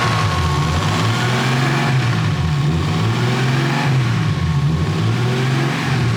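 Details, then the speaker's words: BMW E36 with newly built engine after break-in and fresh oil: warm engine pulls steadily through the revs with a smooth, even drone, no knocks or rattles; lifter noise much quieter, healthy. "That sounds way quieter. It is way quieter. Yeah, they got way quieter. That one was being a real pain in the butt, dude. Idle is quiet as shit now."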